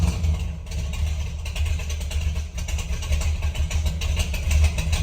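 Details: 1968 Ford F250 with rebuilt hopped-up 390 V8, long tube headers, true dual exhaust, after sitting over a year and a half: steady, even low rumble with no misses or knocks; smooth normal idle.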